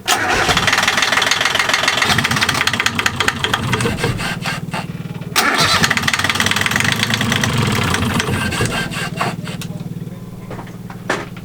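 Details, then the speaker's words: Liveaboard sailboat diesel with diesel-contaminated oil, after bypassing the old lift pump for a new electric fuel pump and an oil change; cranks, catches, then falters and stalls because the fuel valve was left closed, then runs once it is opened. "we didn't turn the fuel valve back on it was off so that's why it was falling but it's running now and it hasn't stalled yet"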